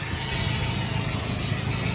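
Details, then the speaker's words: 1993 Nissan Hardbody KA24E four-cylinder after timing chain job (oil pump re-clocked after being a tooth off), new water pump, NGK plugs and wires: steady even idle, no rattle or tapping; running smoothly and healthy. "So we went ahead and did that. Now this truck's running like a dream."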